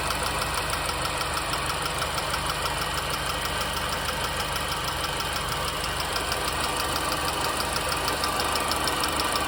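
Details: R53 MINI Cooper engine at idle: steady light tick, roughly three a second, over a smooth idle; valvetrain-type tick, source unknown.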